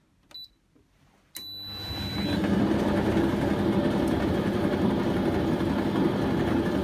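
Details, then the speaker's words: Candy Grand'O Vita GVCD91CBB tumble dryer fitted with a universal washing machine motor, heating and turning: steady rumble with faint rhythmic judder each turn; owner suspects worn bearings on the drum rim rollers, unconfirmed. "it's heating up and it's turning sounds a bit juddery i think the bearings might be gone on the rollers that run around this rim here"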